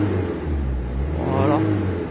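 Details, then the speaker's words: Mini Cooper 1.6 HDi diesel idling after injector seal replacement: steady low idle with only light, even clatter, no harsh knocking; runs smooth, normal and operational. "il n'y a pas beaucoup de bruit claquement voilà bon je monte là on a un geek un bruit parfaitement fonctionnel opérationnel normal il n'était"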